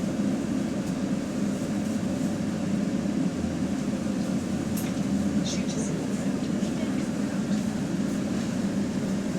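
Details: GAL bus WVL464 on route 89: loud, coarse diesel idle drone with a rough low rasp; exhaust leak left unrepaired for weeks.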